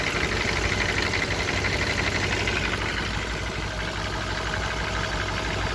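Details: 1994 BMW E34 M50B20 with VANOS and automatic at idle; light, regular tapping about three per second, not the hydraulic lifters; chains and tensioner shoes new, VANOS rebuilt, no oil use; unchanged for years; source unknown.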